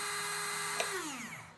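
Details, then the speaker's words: Windscreen/rear washer pump removed from car and bench-tested on 12 volts (polarity sets front or rear): steady high motor whine, drops away smoothly at power-off; pump works fine. Fuses OK; owner suspects no power reaching pump via supply cable. "so i'll switch on this as you can hear it's working so that's not the problem you know 12 volts"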